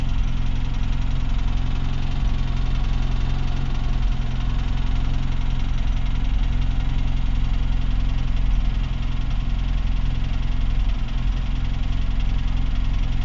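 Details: UZAM engine with throttle blips: deep, steady idle carrying a dull knock repeating about 160 times a minute, keeping time with engine rotation; extraneous engine knock.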